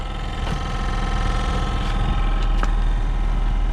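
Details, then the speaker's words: Car A/C blower motor under the passenger-side dash, fan on high with A/C on, after tapping it: steady electric hum with faint uneven flutter but only very faint airflow; failing blower motor, replacement part ordered. "Or maybe your AC is making that sound and not blowing. Get a very faint air. I'm on high right now and this thing should be blowing."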